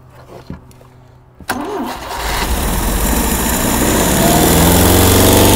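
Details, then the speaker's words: 1972 Opel GT engine first started after sitting 30 years: cranks, catches and runs rough with irregular pops through the intake. Suspected carburetor backfire. "i always expect a flame to come with that noise that shouldn't be hurting nothing huh"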